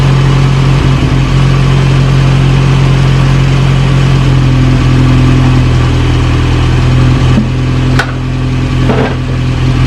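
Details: 1937 Morris 8 pre-war 918cc four-cylinder, recommissioned after diesel down the bores oiled plugs, settles into a steady, low, even idle with no knocks or misses, about 75 psi on the gauge, smoke burning off, not yet cooling water; normal idle.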